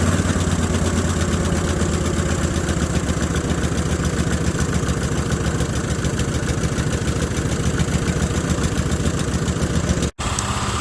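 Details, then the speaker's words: 1981 Westwood Gazelle W11 ride-on mower, tired single-cylinder engine with low compression, after winter storage and plug clean: steady, even beat at constant speed, no misses or knocks; running fine, alternator charging. "so that seems to be running fine now so the alternator is working it's charging still"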